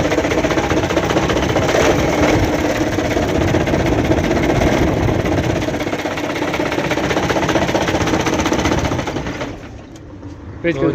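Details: Truck engine running with a heavy, regular metallic bottom-end knock, about four per second; it can be confirmed by rocking the flywheel back and forth and watching whether the front main pulley moves with it.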